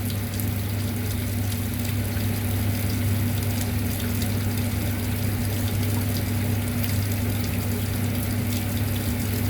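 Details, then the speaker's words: Concession trailer water pump running while hot faucets are opened to confirm continuous flow and a full water heater before plugging it in: a steady low pump hum under an even rush of water, no surging. Normal. "so before i ever plug the water heater in itself make sure i had continuous water flow coming out of all hot water faucets that way i knew that the water heater was full"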